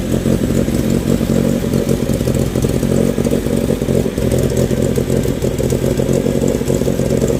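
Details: Renault 16 TX engine starting after rebuild: catches and runs steadily with a few throttle blips, even firing, no knocks or rattles; normal running.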